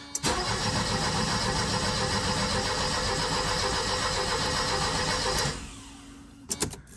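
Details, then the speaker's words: Mercedes 190E W201, fuel pump heard running at key-on, cranking after earlier engine fire: starter churns about four beats a second for five seconds, never catches; crank no start. "I just wanted to crank it. She wants to. No, I don't know what she wants to do."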